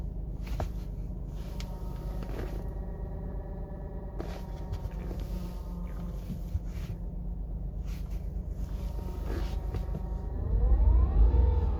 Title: 118i clutch noise when pedal pressed at 43,000 miles